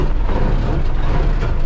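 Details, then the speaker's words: 1978 S2600 diesel truck after 5°F overnight, about 17°F now, no glow plugs, block heaters not plugged in: deep, heavy rumble holding steady, no misfires or knocking, started better than expected; normal cold-start running. "it's been brutally chilly so this motor probably is not very happy does have plug-in spots i probably should [Music] that started better than i expected"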